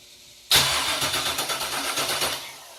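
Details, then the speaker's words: Junkyard GM LS 5.3 V8 on engine stand, cranked with injectors and coil packs unplugged to check oil pressure: even starter cranking, about five compression pulses a second, no firing; normal cranking without starting. "All right, crank this thing over. Now I do have the injectors and coil packs undone, so."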